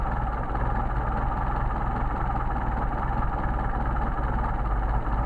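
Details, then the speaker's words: Mercedes 190SL with rebuilt matched Solex carburetors #62468/62474, adjusting idle mixture screws: low idle with uneven, lumpy beat as the mixture is set off, RPM dropping and running rough, nearly stalling before backing out. "here drop off tile gets rougher back it out smooth out see the idol judge degrading into the engine running rough"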